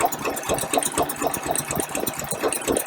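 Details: 1953 Packard Clipper Deluxe engine idling during a valve check; the valves were last adjusted about 8,000 miles ago. Light, soft ticking about twice a second over a steady idle with no heavy clatter; intake valve clearances are fine, with a light drag on the gauge.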